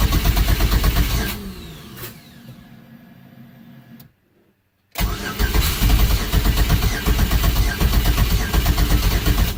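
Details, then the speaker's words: Fiero with a swapped 3400 turbo V6, first start after relocating the coil packs: the starter cranks with a steady chug at about three beats a second, pauses, cranks again, and never catches. Firing order looked right; cause unknown. "Nope. Let me find out what I did. Well, firing order and everything looked good, so I'm not sure why it didn't start."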